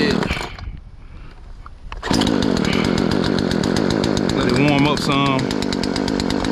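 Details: Poulan Pro PP4218A 42cc two-stroke chainsaw after chain replacement, started with choke then pushed in: after a brief pause it catches and holds a steady crisp buzz with even firing, no misses or rattles; runs healthy.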